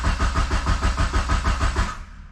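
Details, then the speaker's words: Mitsubishi 2G GSX on FuelTech ECU: even starter cranking about four pulses a second, never catches, then stops; no crank position signal, traced to badly seated CAS (crank angle sensor) connector. "it didn't even register. My wiring's wrong."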